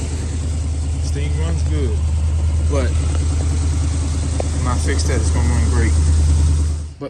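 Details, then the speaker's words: Carbureted Mustang idling at night: lumpy idle stumbling about three times a second; driver-side spark plug wire arcing to the header grounds that cylinder, causing misfire and erratic idle; wire to be replaced. "s trying to shut it off it's trying to ground it out hence the misfire or the erratic idle so yeah I got a bad spark plug wire there that's arcing pretty bad"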